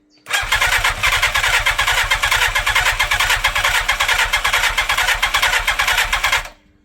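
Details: 1987 Yamaha FZR1000, first start attempt after 16 years stored, carburettors refurbished, gravity-fed tank above carbs: steady starter cranking about two beats a second for six seconds without catching; a little exhaust smoke, cranks but won't start.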